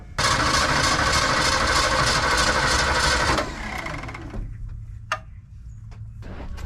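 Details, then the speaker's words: 1982 Ford F-150, 302 V8, carbureted, cold start at about 40°F: engine starts, roars about three seconds, then sags and stalls once warm. "Oh, it's gonna stall out. One whole turn and a half. Let's see how that works. All right, so it doesn't like running after it's been warm for a second or two."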